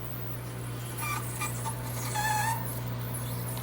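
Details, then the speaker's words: GE Profile ice machine: steady low hum with a thin squeal rising briefly as solid ice jams and backs up inside the chute; cause later found to be a clogged water hose so water couldn't reach the evaporator. "like the ice is getting backed up in there. Maybe it'll break free. Nope, it's solid now. Yep, that's exactly what's happening. The ice is getting backed up inside there."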